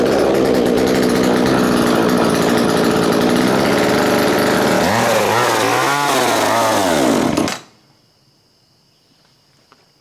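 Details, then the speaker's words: Chainsaw that used to die when revved, run on treated fuel with choke out: catches, runs rough and busy, revs up and falls back, then cuts off; it runs, but the carburetor needs adjusting. "That was nice. We need to adjust the carburetor."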